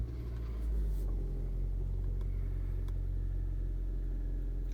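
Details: 2012 Hyundai Santa Fe 2.4L, manual, 236,000 on it, towed in stalling with P0017 cam/crank correlation and P0079 exhaust valve control solenoid codes; now a deep, even idle with no hunting, cam data matching, in neutral.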